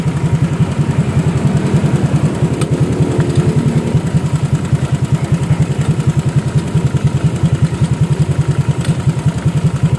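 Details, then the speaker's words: Honda Vario scooter idling after an exhaust swap: loose chattering clatter pulsing about 2.5 times a second from loose engine mount bolts. "k bautnya kendor BR Entar dulu BR bautnya kendor Bro jadi tolong ya buat kalian yang punya Vario macam ini juga ini bautnya kendor"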